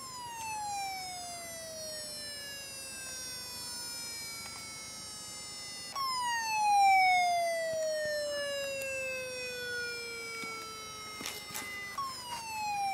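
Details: Very old laptop hard drive on an external adapter, vibrating: a high whine keeps sliding down in pitch, then jumps back up about every six seconds with odd clicks; sounds like a failing drive.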